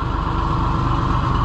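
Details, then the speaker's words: Oliver 1650 tractor with new distributor and electronic ignition finally starting, with a second's delay until the key is released, apparently powered via the solenoid; low, even pulsing idle with regular firing beat, no misses, running smoothly. "I think you got her now it is though you can I can tell that it's getting its power from that uh that solenoid because it's got a second delay and then as soon as you let it's like when you let the key off it starts up"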